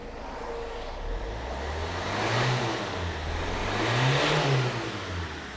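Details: 2005 Land Rover Freelander diesel revved at the rear after crankcase breather filter replacement: two throttle blips, note rising and falling with slight unevenness and black smoke; owner plans to clean injectors and pump, cause unconfirmed.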